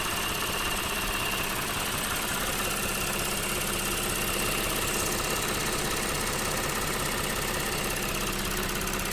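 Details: Lexus GS 300 3GR-FSE at 184,000 km, idling with fast light clicking on the left side of the engine and whirring on the right; appeared suddenly after heavy water reached the back of the engine, cause unknown.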